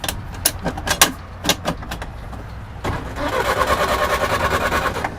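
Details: 1960 Honda N600 with a Willys Jeep 4x4 conversion, abandoned and first start attempt, out of gear: a few scattered clicks, then steady cranking at about two beats a second with no catch; ignition switch possibly in the wrong position; it later ran.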